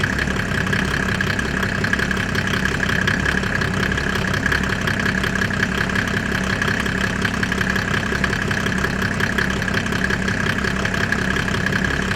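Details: Mercedes OM606 turbo diesel in a Land Rover build just after its first start, microphone near the exhaust: steady, even idle clatter with loud unmuffled intake noise, no misses or knocks; sounds healthy.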